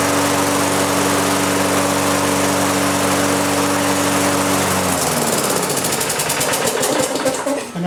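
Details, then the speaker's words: Lawn mower engine converted to propane with an added small pressure regulator; fuel knob cracked to start then opened wide, regulator feeds fuel and engine governor sets RPM; smooth steady drone at even speed about five seconds, then shut off by closing the fuel. "the fuel pressure regular takes over the governor on the engine sees that extra Fuel and it comes up and sets the RPM at the right spot so you still are fully govern and whatnot"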